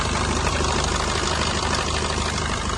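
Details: Maruti Brezza petrol engine idling: busy rattly clatter over low hum from a weak, worn timing chain, to be replaced.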